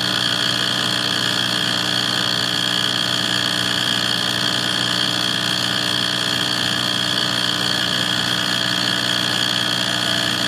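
Constant droning hum with a bright, buzzy tone layered on top, steady with no change; an abnormal furnace noise of unclear origin.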